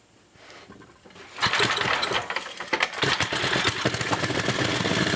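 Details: 1980 Montgomery Wards 2200-watt generator with a Briggs & Stratton 5HP engine, test run after a new old-stock block swap. It catches at once and settles into a steady, even fast chatter; it runs normally with no smoke.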